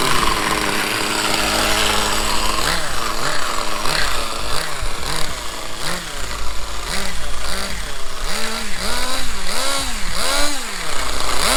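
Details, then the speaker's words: Vintage 1/5 scale Victory Hawk nitro RC motorcycle, start after 10 years boxed, with replaced flywheel and steering servo and a glow plug switch: the small high-revving engine buzzes and blips cleanly with the throttle, runs normally. "Yes, let's start. After 10 years, it worked at the first try."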